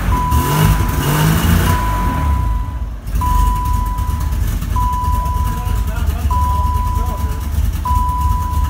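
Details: 1990 BMW E30 325iX, 5-speed: first cold start of the replacement engine after the original threw a rod; steady low idle rumble with a repeating warning chime.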